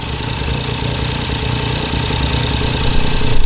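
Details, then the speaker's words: Ford Fiesta EcoBoost three-cylinder, first start after swapping in a replacement engine that lacks the cylinder head temperature sensor (workaround fitted), no coolant yet, oil light out: uneven, throbbing, top-endy idle growing slightly louder, normal for this engine. "yeah no man B sounds sweet we wi it work right and me sensor thing work hey sounds like a little Polo it sounds like a little Polo"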